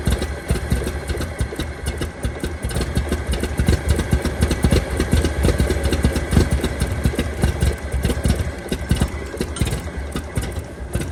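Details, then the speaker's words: 1923 Franklin Model 10, converted to a truck in WWII, running after sitting at least 76 years. It idles roughly with irregular stumbles and sharp snapping ticks and smokes slightly from engine stop leak. Loss of spark is suspected as the misfire cause. "I think it's just running crappy it's running crappy"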